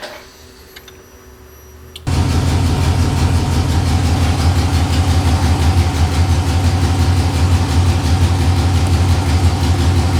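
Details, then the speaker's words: 6.0L LS-swapped S10 V8 cranks, catches and settles into a loud, lumpy idle with a slight shake; short-term fuel trims rising to 43 and 39, spark a little off; rust from the gas tank clogged the fuel filter, starving fuel. "they're going up again still yeah they're steadily both of them are pretty even now though she is shaking a bit though"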